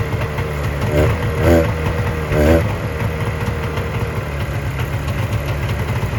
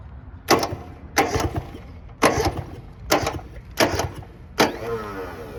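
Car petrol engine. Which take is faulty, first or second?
second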